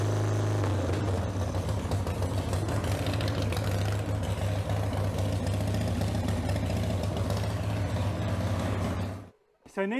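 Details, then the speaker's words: 1995 Harley-Davidson Sportster Evo V-twin just after owner's top-end rebuild, battery charged after 7–8 months sitting: fires up quickly, steady even low rumble with no knocks or rattles, runs clean then cuts off; normal running. "I'm pretty EXC excited I wasn't really expeced it to crank up as quick as it did but I'm pretty excited that it cranked up"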